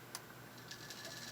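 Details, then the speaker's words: Vintage tube amplifier (D&A Phantom 10-tube, paired with SB-220) on the bench with an added fan for testing: faint, irregular light ticks over a quiet fan hiss in a small room, where a fan blade is striking a piece of tape. "I got a piece of tape in the way. I hear it right here. Somewhere there's a piece of tape tapping."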